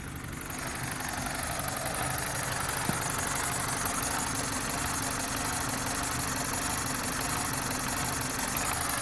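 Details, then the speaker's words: BMW 318Ci Cabrio, 2.0 N46B20 150 hp petrol, idling rough: cylinder 4 keeps misfiring despite new coil, new spark plug and 14.7 compression; uneven stumbling idle caused by an intake air leak. "bardzo fajny przykład tego jak bardzo ważna jest szczelność układu dolotowego silnika tu w tym przypadku Mieliśmy problem czwartym cylindrem była nowa cewka nowa świeca kompresja 14,7 więc zajebista A i tak czwarty cylinder cały czas że tak powiem wypadał sobie"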